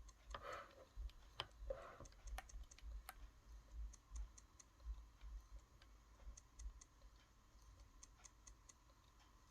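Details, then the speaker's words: Original Xbox One with E102 system error, hard drive showing caution on current pending sector count: quiet, irregular sharp clicks over faint hum, failing hard drive completely dead. "just that clicking noise there uh honestly it just tells you that the hard drive is completely toast and there's no life left in it"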